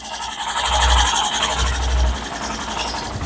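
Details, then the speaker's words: Hero Glamour 125 BS6 at 23,000 km, after replacing the cam rocker and a worn bearing: soft, even low pulse with steady mechanical chatter and no knocking; smooth like a new bike, normal idle. "Friends आपको बता the इसका sound जो है एकदम मक्खन के जैसा हो गया जैसे नया गाड़ी का जो साउंड होता है वैसा हो गया"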